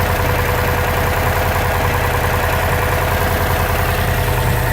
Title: 2006 sti rod knock?